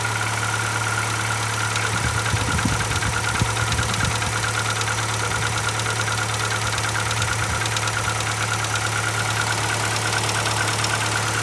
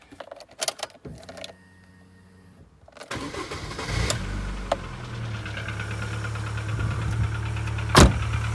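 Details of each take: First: Gold Rover 25 Advantage, just bought, started out of gear with a suspected weak battery: it struggled to start and tapped briefly, then settled into a steady, even idle with no tapping. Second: Newly bought gold 25, rare spec, starting in neutral (owner thinks battery needs changing): sluggish cranking, struggles to start, then catches into rough idle with brief light ticking that soon fades.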